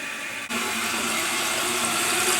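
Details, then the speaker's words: Toilet fill valve about 20-24 years old at a relative's house keeps running after flushing: steady hiss of water, tank filled to the top spilling over the overflow tube and draining nonstop; fill valve not shutting off. "The water's all the way up to the top and it's flowing over that little tube and draining, and it won't stop."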